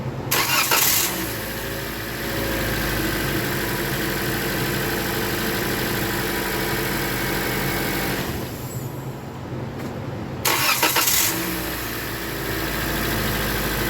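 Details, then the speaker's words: 2016 Toyota Corolla, first start after a DIY timing chain replacement, oil topped off, no coolant yet: cranks and catches promptly, settles to an even idle with no knock or chain rattle, shut off, restarted, idles smoothly. "So I topped the oil off, no coolants in there. I'm just gonna bump it over until it rotates. It starts initially, then I'll shut it down."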